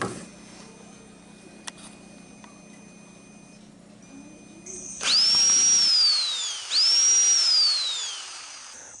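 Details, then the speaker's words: Snap-on 18 V cordless impact wrench running on a freshly rebuilt battery pack (cells replaced, 1.2 V cells strapped in series): two sharp, strong whirring bursts spinning up and down crisply; healthy normal impact wrench operation, strongest in a long time. "that thing hadn't sounded that strong in a long time, and I'll guarantee you we'll put this sucker back to good use."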